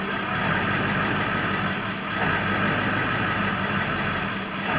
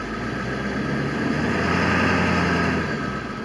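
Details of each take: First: 2000 Ford F-350 7.3 Power Stroke diesel at startup: idle rises and sags about every two seconds and never smooths out, an intermittent erratic idle; the truck also sometimes starts and dies. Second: 2000 Ford F-350 with 7.3 Power Stroke diesel, after fix for start-and-die and erratic idle, not yet warm: in gear the deep note climbs smoothly and eases off, strong with no chugging; normal revving under load.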